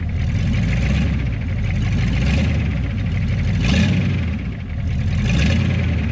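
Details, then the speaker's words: HMMWV (Humvee) diesel after flex plate replacement, with the Y-pipe joining left and right bank exhausts removed: loud, open, boat-like burble at idle with a slow swell, like open headers. "It kind of sounds like a boat. So this is just like open headers."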